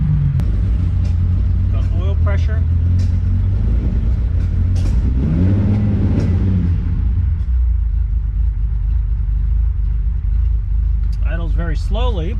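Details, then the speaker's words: 1972 Ferrari 365GTC/4 V12 just revived after a carburetor fault, ice cold, no choke, stale fuel: very slow, lumpy idle with sharp pops and spits over a deep rumble while warming up. "that's okay it's ice cold no choke let things warm up a little bit it's going to pop and spit like that for a little bit"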